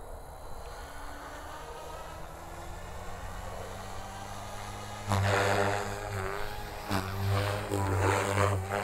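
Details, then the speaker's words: RC helicopter in flight with ESC governor mode, gain properly set: rotor steady through maneuvers with brief load surges; head speed held consistent, governor working. "so as you can see it held pretty consistent rpm throughout the whole little sequence of maneuvers there"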